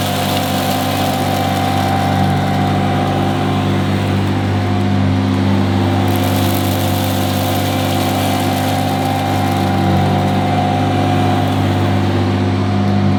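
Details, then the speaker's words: 1977 Hoover Junior Deluxe upright vacuum: steady, even motor hum with a constant whir, no rattles or pitch wander; owner calls it the quietest Junior Deluxe/Starlight he's used; normal running. "but the motor that sounds absolutely fantastic it's the quietest Junior Deluxe slash Starlight that I've ever used"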